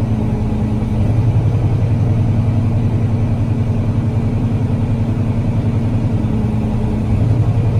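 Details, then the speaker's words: Freightliner Cascadia diesel idling during a parked regen with check engine, MIL and stop engine lights on and DPF/DOC pressure codes; the drone swells and eases every few seconds as the throttle valve searches (87% then lower) and pressure jumps 1.3 to 2.2; surging points to a bad One Box. "okay so we definitely have a searching and look at the DLC and live pressure 1.3 and then it jumped all the way to 2.2 so we definitely have an issue here"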